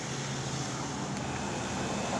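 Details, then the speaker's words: Refrigerator condensing unit compressor run with an ammeter attached before leak-finding on the suction line; steady low even hum without knocking, rattle or surging; reads 0.6 and pumps no oil, so compressor is judged okay. "Yun, nakakuha tayo ng 0.6. So okay naman, hindi naman siya bumubomba ng langis. Ibig sabihin okay itong ating compressor."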